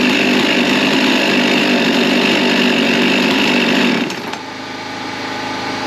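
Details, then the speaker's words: Husqvarna 55 Rancher chainsaw after carburettor work and a new gasket, plus new air filter and plug; screams at a steady high rev, then drops cleanly to a settled idle. Normal running. "okay I've got the saw up and running as you heard"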